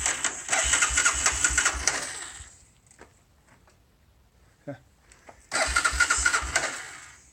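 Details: Honda 300 that suddenly won't start, sometimes starts eventually: two bursts of quick even starter cranking about 1.5 seconds each, turns over but never fires; cranks but won't start.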